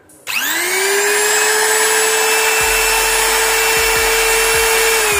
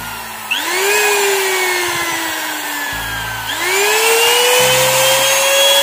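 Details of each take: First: Electric wood trimmer (router) after repair, with carbon brushes reinstalled: spins up quickly to a clean, steady high whine with no rattle or sputter; motor runs normally. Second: Wood trimmer/router before repair, switched on: high motor whine spins up, then sags and fades for a few seconds before surging back; intermittently cuts out and stutters, traced to a faulty on/off switch.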